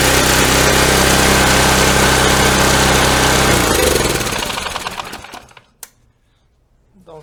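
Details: Snowblower small single-cylinder engine after summer storage, following a quick no-start fix: chugs fast and even for a few seconds, then shut off and coasts down; runs normally.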